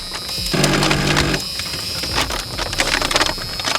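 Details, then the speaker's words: 1985 Merkur XR4Ti during reassembly; rapid clicking chatter and buzz about a second, engine never cranks; owner suspects starter solenoid, heavy corrosion found on connection: starter clicking, no crank. "That is a yucky sound. Yes, not good. Okay. So we got that noise. Sounds like the starter solenoid."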